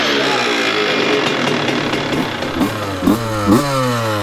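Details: 2002 CR125 two-stroke after port work and carb rejetting, running without choke: crisp ring-ding idle with three quick throttle blips that rise and fall cleanly without bogging; normal two-stroke idle, now running great.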